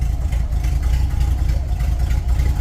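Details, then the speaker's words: 1930 Ford Model A with a 283 small-block Chevy and Borg-Warner T10, parked since 1973: low, steady, even idle with no knocks or misses, quiet apart from an exhaust leak. Engine in good shape. Normal idle. "Yeah, it's so quiet. It's only somewhat loud because of the exhaust leak. Yeah, this motor is in good shape."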